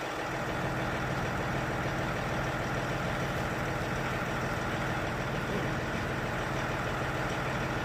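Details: Range Rover Sport air suspension after repair, where the pump itself was the only fault: constant even droning hum with steady pitch, no knocking or strain; the compressor runs normally, though the front raises slower than the rear.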